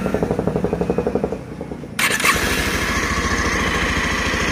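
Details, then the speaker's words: Bajaj Pulsar 150 after timing chain work for chain noise and white smoke, silencer refitted: cranks with quick pulses, catches about two seconds in and settles into an even, steady idle with no rattle; described as perfectly smooth. "यह बिल्कुल perfect smooth सामने आया है इसका कहीं से कोई fix नहीं"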